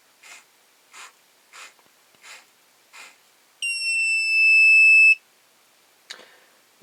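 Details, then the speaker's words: Lyman Gen 6 powder dispenser buzzer after a second attempt at gluing inside it: short chirps, then a shrill steady buzz over a second long. It is noticeably quieter than before but still loud. "that is definitely a bit quieter than the uh the first attempt. It's certainly not silent by any means, but it's quite a bit quieter than it was before."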